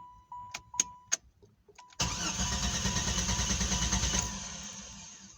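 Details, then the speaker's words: 1993 Jeep Grand Cherokee 4.0 with all sensors, distributor, plugs, wires and PCM replaced: a few chimes, then about two seconds of steady, even cranking that never catches, even at full throttle; crank no-start, cause unknown. "no start right now if I give it full throttle [Music] nothing now it's not even starting how it used to start"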